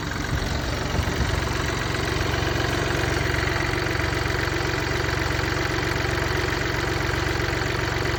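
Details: Mini Cooper D 3-cylinder diesel at steady idle: an uneven, loose rattling clatter rides on each beat, from a worn, broken dual mass flywheel, which also causes hissing and juddering after clutch release.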